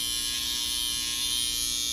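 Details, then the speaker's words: Babyliss FX hair trimmer with a bent blade runs with a steady, harsh, very loud high-pitched buzz but won't cut hair, much louder than a brand-new one used once; fixed by replacing the whole blade housing kit. "Yeah, super loud, right? Compared to a brand new one out the box, only used one time. Big difference right there."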